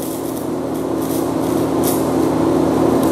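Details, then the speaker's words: TIG welding with silicon bronze filler rod joining dissimilar metals (braze joint) on zinc-coated material: steady buzzing arc with hissing and faint pops as the zinc coating vaporizes into powder. "and I don't know if you can hear it but it's hissing and popping at me and you see all that powder on there that's vaporized zinc"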